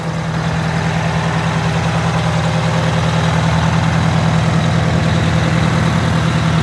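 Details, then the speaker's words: Wanderlodge RV bus, Detroit Diesel 8V92TA after four new pistons and liners, idling after first test drive to cool the turbo: deep, even diesel idle, steady beat near 200 per minute, no knocks, misses or rattles. Normal idle. "gonna let it run for the turbo to cool down"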